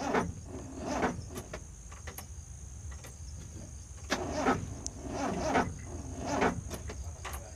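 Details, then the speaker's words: Mitsubishi Colt T120, hard to start: labored, uneven cranking surging about once a second without catching, as burnt, corroded battery terminals connect intermittently and starve the starter; smoke at the terminal; coil negative wire also corroded; terminals to be cleaned. "Sepertinya, eh, terminal baterainya terbakar, kawan. Ternyata baterainya juga berkarat, kawan. Artinya, terkadang terhubung, terkadang tidak."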